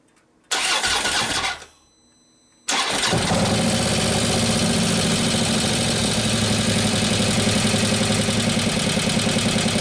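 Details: 2015 Harley FLH Road Glide, 103ci Twin Cam, after a camshaft install and new oil pump: after a brief start it settles to a steady idle with a light, quick ticking. The hydraulic lifters have not pumped up yet.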